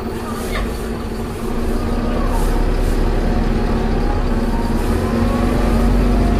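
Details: Optare Solo bus V263DRC: steady low drone with a faint tone sliding down as the bus slows; funny gearbox noise on deceleration, cause unclear.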